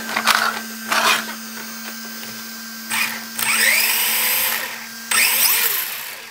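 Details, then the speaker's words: 3 Racing Sakura D3 CS Sport RC car after a center belt fix with a Sakura zero D tensioner: short bursts of high electric whir rising and falling with throttle. The belt still hops somewhat, but far less than before, with no slapping or skipping. "it I think it came out too bad and of course it's going to hop up and down as much as it wants to but it's it's not doing it as bad anyway"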